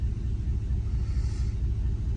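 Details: 2010–2014 5th-gen Chevrolet Camaro, idle with codes P0302/P0202: deep uneven lumpy stumbling pulse from a cylinder 2 misfire; injector circuit open code points to a failed cylinder 2 fuel injector, new spark plug didn't fix it.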